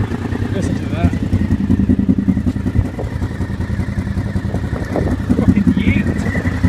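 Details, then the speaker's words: Honda VFR750F V4 after swapping the two coil packs to fix a dead cylinder; busy uneven burble with quick throttle blips picking up cleanly and settling without misses; now runs correctly. "So I did. Big Team VFR now runs correctly."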